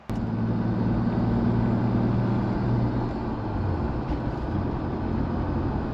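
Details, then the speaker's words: MK4 Toyota Supra after replacing the suspected rear differential, the old one likely never oil-changed, on a test drive: even road rumble and steady engine drone with no rising whine under load; quiet rear differential. "So I've just taken the car for a drive, and as you've heard from that clip, it sounds a lot better than what it did at the start of the video."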